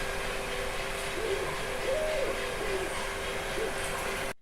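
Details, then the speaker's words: Viper 3D printer in an office noise comparison: its stepper movements are very quiet, while its fan noise is characteristic like the other printers. Soft steady fan hiss with faint brief whirring tones rising and falling as the axes move. Normal, quiet operation. "Porque ela é a única que não me atrapalha quando ela tá funcionando a gente praticamente não escuta ela funcionando Porém tem as ventoinhas que acabam virando o ruído aí bastante e característico"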